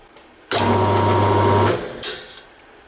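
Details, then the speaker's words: 1400 RPM electric motor with start winding, bench tested: steady hum cuts off and a single sharp click sounds as it winds down, centrifugal switch re-engaging normally. "did you hear that click sound that means that that motor has the exact same switch centrifugal switch as this one"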